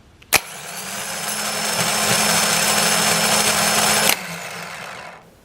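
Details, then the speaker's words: 2010 Toyota Corolla, original Denso starter, new fully charged battery, cold start in the teens °F: harsh raspy grinding with thin high whine for about four seconds while cranking; happens only in cold weather, stops once warm, ongoing about three years. "I've noticed this is a cold weather thing as it warms up it'll stop"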